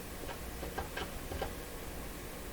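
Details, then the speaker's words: 1937 Rogers Majestic 7R622 tube radio tuning dial with slip clutch and spring-loaded brake plunger on the capacitor plates; irregular light ticks and clicks when turned; clunky, rough tuning knob, cause unknown. "I mean you know what's what's one of the big deals with the radio is the feel of the tuning knob this one is like the worst feeling thing I've ever clunky"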